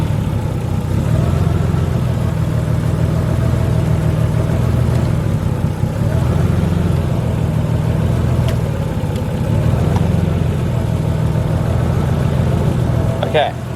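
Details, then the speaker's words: Nissan R33 Skyline idle, lumpy and uneven with a deep irregular chuff; cylinders four and five still dead after a coil pack swap, so the coil pack is good; misfire. "so it's still four and five that are gone which means that the coil pack right there is good and i'm assuming that that one there is good"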